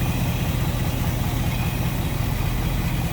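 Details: 1955 Ford Fairlane Crown Victoria V8 with Edelbrock carb and front pusher fan, idling, heard at the front with hood open then at the rear; deep even rumble, no ticking or misses, mild throaty exhaust; normal healthy idle.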